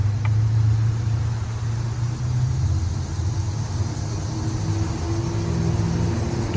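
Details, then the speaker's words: Nissan 240SX S13 running rough at idle with uneven, wandering beat after overheating; coolant looks very foamy; owner suspects blown head gasket, also considered swapping ECU; cause unconfirmed. "still hard to tell it's running like I almost want to swap the ECU but I could have blown the head gasket when it was when it was overheating"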